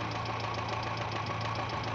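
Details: Renault 9 engine idling with a fast, even light knock over a steady hum, about fifteen a second and tied to engine speed; the owner calls it not critical yet.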